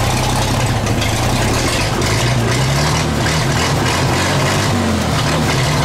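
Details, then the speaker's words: 1934 Chevrolet 1.5-ton truck, first run after about 70 years stored, following carb cleaning, sanded points, oiling, fresh gas and 6-volt battery: low, even idle rumble with no knocks, misses or hunting, no smoke, about 15 psi oil pressure; healthy. "started it can't believe it ain't even making any smoke I don't know what it was guys"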